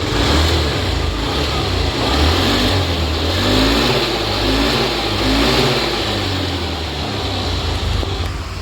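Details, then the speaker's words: Honda Beat FI scooter, previously hesitating and hard to rev on initial acceleration, after repair: engine revs up and drops back cleanly several times with smooth pitch and no stumble; the fuel pump was found to be the cause. "Oke, bro. Sepeda motor ini sudah diperbaiki dan bisa digas, seperti"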